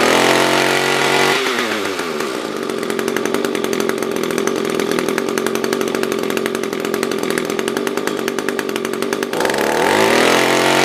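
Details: SRM-210 trimmer after carb replacement with new filter, plug, fresh gas and handle: idles, then revs cleanly to a steady high buzz for about eight seconds and drops back smoothly; normal idle and revving.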